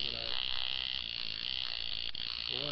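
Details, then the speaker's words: Tattoo machine with the contact/armature gap set too low: harsh, raspy, stuttering buzz instead of a clean hum, so it runs rough. Fix is raising it higher with more gap. "I guess having that lower down there with the gap in there like that it really made it sound like crap so we've wanted up higher with more of a gap in it"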